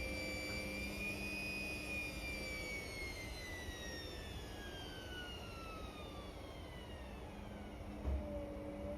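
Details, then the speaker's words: Indesit Innex XWSC61252 washing machine after repair of a no-drain fault (filter already cleaned), spin test: smooth motor whine gliding steadily down over even drum rumble, no scraping or knocking; normal spin, machine now working. "Oh, there we are. It is turning out. So, I believe that is that was the only thing wrong with this machine."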